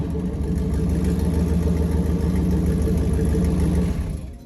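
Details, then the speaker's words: 1995 Jeep Grand Cherokee ZJ V8, lifted, muffler cut off, headers and downpipe only: loud, deep, raspy V8 rumble with steady throb; open exhaust, sounded worse in gear and moving. "Of course I have to give you an exhaust clip with just the headers and downpipe on it."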